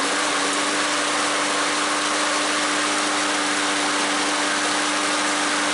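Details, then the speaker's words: Troy-Bilt lawn mower, 2010 Briggs & Stratton 6.75 auto-choke engine, after replacing broken carburetor throttle shaft and missing auto-choke spring, new fuel line and air filter: smooth, even drone at steady governed speed, no surging; normal running. "we've got the troy bilt going new throttle shaft and a spring for the auto choke luckily I had one and the balm I like I said but anyway guys good repair runs great"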